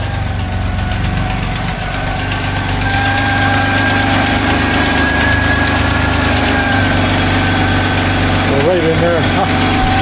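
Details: Old Dodge W100 pickup, just revived after a no-start fix: loud steady idle with a fast, fairly regular tick, about three per second, riding over the engine; sounds like a leak near the engine, source being traced, not confirmed.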